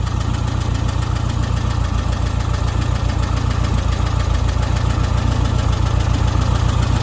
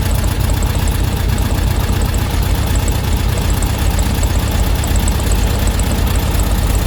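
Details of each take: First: Old VW Beetle after ignition timing and carb tune-up: smooth, even idle around 850 rpm, up from a low 750, steady beat with no knocks or misses; normal idle. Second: Air-cooled VW Beetle flat-four, warmed up, during carb tuning: loosening the idle screw makes the engine speed up to about 1000 rpm, noticeably fast and busy, too high and wasting fuel; idle set too high.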